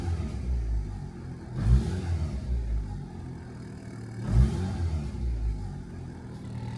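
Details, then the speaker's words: Turbo Honda Integra, previously would not start: two quick throttle blips rising and falling cleanly with no stumble or popping; revs clean, idling at 14 AFR in open loop, not yet closed loop. "Not gonna lie, those revs actually feel clean. I think we're getting somewhere."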